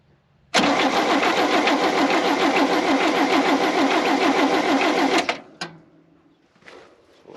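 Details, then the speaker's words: 1971 International Harvester 1110 pickup, AMC 232 six, 4-speed, cranked on a good battery before fuel was plumbed in. Even starter rhythm of about 3.5 beats a second for five seconds that never catches; it cranks freely but has no fire, and later fires on carb cleaner. "well that tells me if we can get fuel to it and the carburetor works we're gonna run"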